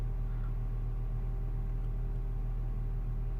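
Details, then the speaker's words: 2007 Mini One R56, original 1.4 swapped for 1.6 engine, complained of cold-start shaking: steady even low hum, revs held above 1000 rpm when cold, no stumble or shake; healthy cold fast idle. "okay started absolutely fine holding the revs above a thousand rpms as it does when cold"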